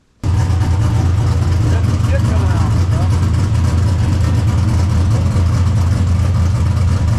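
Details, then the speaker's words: Carlton's V8 drift car, first fire-up, air still in the system: deep, even V8 rumble with strong low exhaust note and steady firing, no knocks or misses; sounds healthy. "oh yeah buddy it sounds good sounds good dude that was one thing we didn't know about it sounds so good yeah dude that exhaust sounds good"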